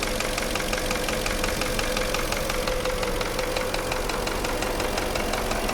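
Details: Porsche Cayenne engine at idle: a steady, even knock of about two raps a second over the engine note, piston slap from damaged cylinder walls, typically cylinders five and six; an endoscope inspection is recommended.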